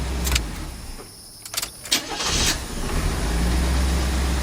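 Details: 1984 GMC truck with a six-cylinder and a newly installed transmission, timing adjusted after detonating on the road. A few clicks, then the engine catches and settles into a steady, even idle with no pinging. Running healthy.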